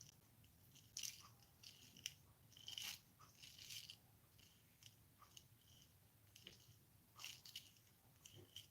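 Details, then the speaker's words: DragBug rear differential freshly packed with grease, turned by hand: irregular soft crunching clicks that sound like grit but are just the fresh grease working in. Normal. "like grit, but it's not. It's literally the grease."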